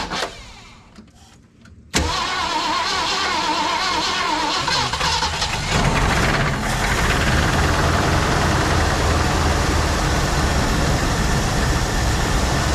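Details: 1974 Ford Bronco V8, first start in over 16 years after fuel system work; little knock, oil pressure came right up; lumpy idle with skipping beat, owner suspects one cylinder down, misfire at idle.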